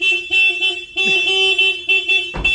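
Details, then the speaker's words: Honda Civic EG, long-stored, old aftermarket alarm set off by touching the door: loud warbling siren tones repeating about every half second, horn blast near the end. "No, I was just about to do that until I scared myself with that stupid horn. I touched this door, and of course that's what set the alarm off."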